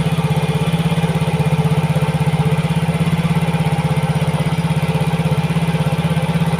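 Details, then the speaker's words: Yamaha Mio GT after replacing a dirty, clogged injector: steady, even putter at fast warm-up idle around 1900 rpm, settling to 1300 rpm with 1.0 ms injection duration and oxygen sensor at 0.49 V. Normal idle, no misses or hunting. "Sekarang kita hidupkan motornya. Langsung enak kawan, dia berada di RPM 1900."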